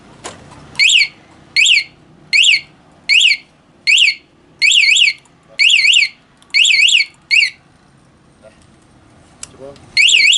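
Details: Honda Beat FI ESF 2019, newly installed remote alarm wired to pulser, armed and bike rocked: loud high warbling chirps in repeated bursts, a bit over one a second. Alarm sounding when shaken, as intended.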